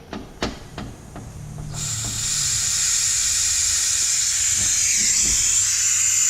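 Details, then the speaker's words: Wastegate (on LS-powered 240SX) with diaphragm holed by an over-inserted dome pressure sensor, bench-tested with regulated air on bottom port: clicks then steady high airy hiss bleeding through; wastegate diaphragm air leak, replaced with new 50 mm wastegate. "that's opening up but look how much air is coming out see that so to fix that problem we basically ordered another wastegate"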